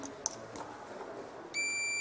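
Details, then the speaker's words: Meterman 33XR digital multimeter on continuity range, black probe in common and red in voltage, probes touched together: a short, clean, steady high-pitched beep, the normal continuity tone confirming continuity. "Cuando nosotros juntamos las puntas, se escucha un pitido y marca unos números en pantalla. Esto indica que tiene continuidad el dispositivo."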